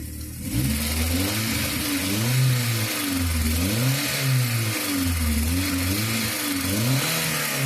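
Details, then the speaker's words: Petrol engine blipped up and down several times after paraffin wax was applied to the alternator belt to cure a cricket-like chirp: smooth and even, with no chirp or squeal; noise fixed. "Bom, galera, resolveu, tá? Acabou aqui no chato, tá bom?"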